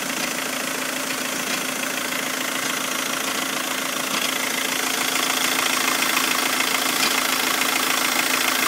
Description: 2006 VW Jetta TDI BRM 1.9L - "clunk" sound from underneath car...